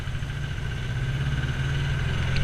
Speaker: You can hear the engine knock from here. It's horrible.